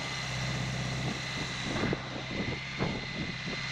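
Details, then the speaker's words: BMW K100 motorcycle engine first started after a 7-month rebuild, cold on choke, on a Power Wheels battery: uneven, lumpy beat instead of a steady idle. Owner suspects sticking rings, possibly head gasket but doubts it. "Sounds like a piece of stuff. Thank you, God. It could be head gasket, but I don't think so. Those rings might be sticking."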